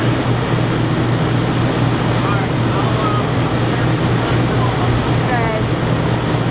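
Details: Yamaha generator running a bit above idle powering an RV air conditioner with Supco SPP6 hard start capacitor: steady, even low drone without surging or hunting; normal running under load.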